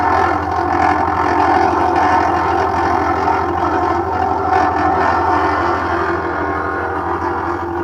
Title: #lg top load washing machine noise problem